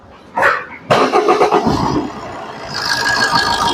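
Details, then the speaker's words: Maruti Suzuki Swift diesel after alternator pulley replacement and belt refit, AC off: the starter catches quickly and settles into an even idle, with no creak or squeal from the belt drive. The earlier creaking at start and under acceleration is gone. "ഇപ്പ കുഴപ്പമില്ല അപ്പ വണ്ടിയുടെ sound ഒക്കെ complete ready ആയിട്ടുണ്ട് കുഴപ്പമില്ല ആൾട്ടർനേറ്ററിന്റെ ആൾട്ടർനേറ്ററിന്റെ അവിടുന്നായിരുന്നു sound വന്നുണ്ട് ആൾട്ടർനേറ്ററിന്റെ പുള്ളി മാറിയപ്പോൾ സംഭവം റെഡിയായി"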